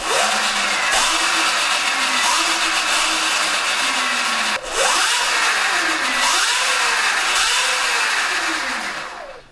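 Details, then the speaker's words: Stock Sur-Ron electric bike chain drive before belt conversion; loud whirring chain whine rising and falling with throttle blips, no knocks or clunks; normal but loud. "all right this is what it sounds like for a chain drive it's kind of loud but we'll see how it is"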